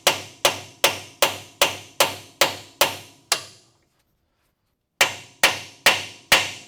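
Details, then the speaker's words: New Koyo bearing hammered onto a 1966 Chevrolet C10 GM 12-bolt rear axle shaft: sharp blows at two or three per second, then after a pause the strikes ring brighter and harder as the tone changes, meaning the bearing is fully seated. "Hear the tone change, and we're home."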